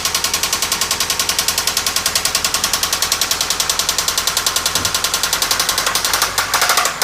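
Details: 1997 Toyota Camry at rough idle: sharp evenly spaced metallic knock about seven per second, developed while driving with repeated engine cut-outs and white exhaust smoke; head gasket failure with water in oil suspected, not confirmed.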